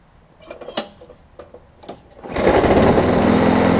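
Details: Craftsman 22-inch push mower after bending the throttle linkage to bring the overspeed down, blade not yet replaced: fires after some clatter and settles into a steady, even buzz at a sensible speed, no surging; could be slightly faster.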